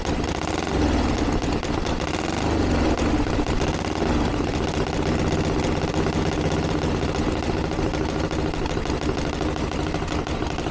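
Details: 1982 Harley-Davidson Ironhead Sportster after two years of tinkering, started on choke with timing reset; loud open-piped V-twin lumping at steady idle, no misses or stalls. Ticking over cleanly, though owner feels it's slightly lean under acceleration and needs further tuning.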